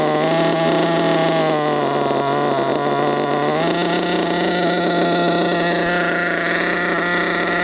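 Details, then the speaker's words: HPI Savage with new 4.6 nitro engine, still running in, around the fourth tank, during carburetor screw adjustment: high buzzy scream at fairly steady pitch, no misfires; ran slightly unstable earlier as new. "sounds good though."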